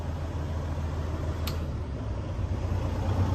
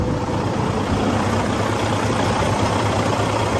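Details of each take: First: 2012 Western Star 4900FA truck with replacement diesel engine, brought back down to idle: steady even low rumble with no knocks or misses; smooth, healthy normal idle, a minor body rattle noted. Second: 2012 Western Star 4900FA truck with a replacement diesel engine, idling: steady, even idle with a light, loose rattle on top. Probably a loose part that needs some rubber to quiet it, not confirmed.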